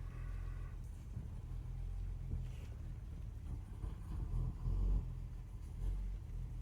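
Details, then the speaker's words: Steady low rumble pulling through the gears without knocking or stalling after carburettor rebuild and ignition timing adjustment; earlier top-end knock, suspected pre-ignition or a tappet, now gone. "Does not sound like it's knocking now. And it's taking gears without stalling. Which is good."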